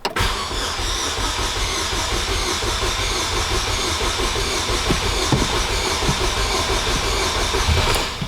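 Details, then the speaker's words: Car with pulse-width fuel injection, replacement battery fitted: steady starter churn about eight seconds, nearly catches but no idle; extended crank no-start, owner says fuel must reach the lines first. "Oh, I heard it almost start. Gotta get fuel in the lines."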